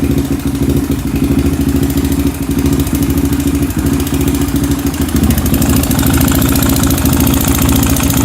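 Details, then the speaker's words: Honda 400EX single-cylinder quad before top-end rebuild, bought with no airbox, oil found bone dry then topped off and smoked badly: loud idle with fast, uneven top-end tick over exhaust pulses; not smoking now, owner suspects oil starvation, cause unconfirmed. "Yeah, you can hear it has the romantic tick. It's not smoking now, but I don't know, maybe out of oil."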